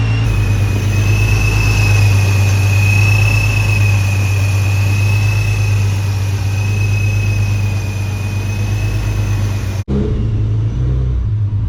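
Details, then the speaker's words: Nissan 370Z with a newly installed Soho supercharger kit: steady low idle rumble with a thin constant high blower whine, even and smooth; normal supercharged idle. "I can still hear the uh yeah I can hear the blow I forgot it does that regardless"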